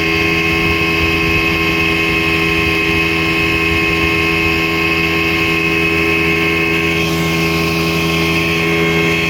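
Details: 1960 Scott-McCulloch 12hp outboard carrying a 14.1hp McCulloch powerhead, bronze Michigan Wheel prop, 24:1 synthetic mix via OMC pressure tank, cruising on the lake: constant high two-stroke buzz holding steady, no misses or rattles; healthy, normal running at speed.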